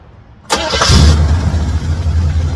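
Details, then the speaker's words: Daily-driven 1978 Chevrolet Camaro being readied for its first car show: quick crank, then it catches and settles into a deep, steady, even V8 idle with no knocks or misses; no engine problems. "We'll crank it up. Let y'all hear it. Show you that there's really no engine problems."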